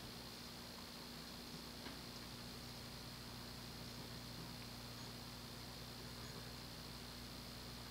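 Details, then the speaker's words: 1988 Hunter Embassy 42-inch ceiling fan, model 25644, with a 172x12mm motor, on low speed: soft, steady, typical Hunter motor hum under a gentle airflow hiss, no clicks or wobble; the bearings are otherwise known to be loud. "it's got that typical hunter hum typical of cei products"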